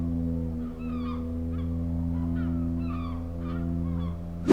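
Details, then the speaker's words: Genesis GV70 creeping forward at low speed on the brakes: a steady low moaning drone with honking, creaky squawks on top; low-speed brake groan. "The brakes are quite noisy when you're just creeping along at slow speeds. Have a listen to this. So imagine you're like controlling the car in traffic, just easing forward. Can you hear that? What a weird noise. Sort of like a sinking ship."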